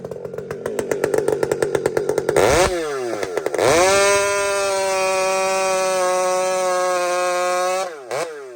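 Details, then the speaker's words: Husqvarna 592XP chainsaw fitted with a pipe revs up and holds a clean, steady high scream through the cut, no burbling, hesitation or blamp. Clean two-stroke running, no four-stroking, healthy carb tune. "friends, you hear that instant, it dives in, just bang. There's no hesitation, no blamp."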